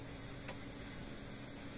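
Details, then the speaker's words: Stafix M20R fence energizer (same as Speedrite 2000R), brought in for low output, sounds healthier after a fix: sharp regular clicks about every 1.5 s over a faint hum. It puts out about 9,000 volts, though the board is still suspected faulty. "Oops. There we go, that sounds a lot healthier."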